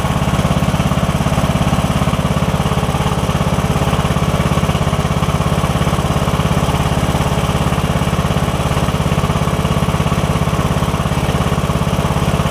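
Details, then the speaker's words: Briggs & Stratton OHV single on a riding mower, test-run after diagnosing the camshaft compression release; smooth, even single-cylinder beat at steady speed with no knocks or misses, running normally. "all right that sounds good we're going for about a minute now do a thing for a minute"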